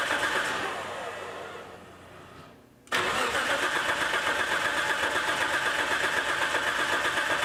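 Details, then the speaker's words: Nissan S14 on a new AEM Infinity ECU, timed at 20 degrees advanced with R35 coil packs: starter churns about four beats a second, never catches; ignition harness left unplugged with old coil pack still connected, no spark. "fail 1 I forgot to hook the harness back up too excited there's my old coil pack still hooked up that's the problem"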